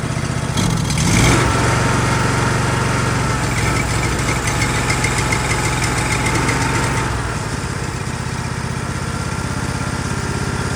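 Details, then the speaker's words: Ditch Witch 1820 trencher, small petrol engine, just after carburetor cleaning and reassembly: starts, briefly revs, then settles to a smooth, steady idle with choke pushed in, running great with no choke; normal idle. "We can push our choke in a little bit to let the, yeah, it's running great with no choke. And this is our gas throttle. Yeah, then so it's completely at idle now."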